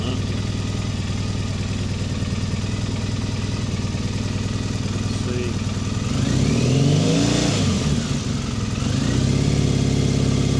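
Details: Triumph Bonneville T100 790 twin after engine replacement, warmed up, off choke, checking carb balance: steady idle then a clean throttle blip rising and falling smoothly, no misfire or stumble; healthy, well balanced.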